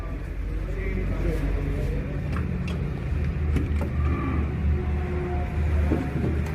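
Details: Hyundai Grand i10 Kappa petrol engine at idle: rapid light tak-tak tapping over the engine note, from inside the engine; engine knocking noise, cause not yet found before engine removal.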